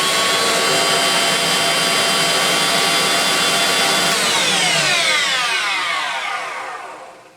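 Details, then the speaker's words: Electrolux Twin Turbo Z522 vacuum after refurbishment, seized top motor bearing replaced with a new 6-series ZZ bearing: smooth, even high-speed whir with no grinding or rattle, clean falling pitch on spin-down; motor running healthy. "there was a brand new six height Zed Zed bearing on it and it's beautiful now it works really really well"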